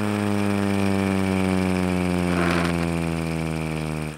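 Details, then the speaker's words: Hand-spun mini Thunderbolt siren rotor built from a blower: buzzing drone that slowly drops in pitch as it coasts, mostly bearing scrape; the top bearing isn't actually spinning. "most of it's actually just the bearing scraping but if you listen very carefully"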